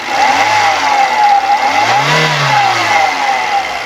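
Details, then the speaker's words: 2004 Hyundai Atoz GLS, 1000 cc engine revved twice: revs rise and fall cleanly with no knocking, metallic contact or odd noises; engine judged in good condition. Normal engine revving. "Kalau kita blayer suara mesinnya Masih normal tidak ada suara-suara janggal atau suara metal kena atau kemudian suara seer ring seer"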